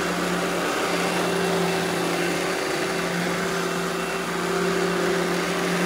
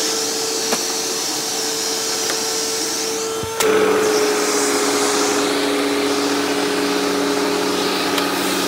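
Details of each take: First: Eureka The Boss Smart Vac upright vacuum, model 4870 type GZ, bought secondhand, belt replaced; switched on for a demo: steady even motor hum, constant high whine, no knocks, rattles or pitch wobble; normal smooth running. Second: Eureka The Boss Smart Vac 4870 GZ upright vacuum with replaced belt and wooden brushroll; steady motor whine with coarse whirring brushroll on top, runs smooth otherwise; noise mostly from brushroll.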